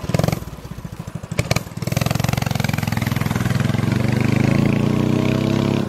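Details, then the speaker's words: Start-up after fitting a new small stainless steel muffler; the engine catches after a few uneven pulses, then settles into a steady, even, deep exhaust beat with no knocks or rattles. "it sounds so nice"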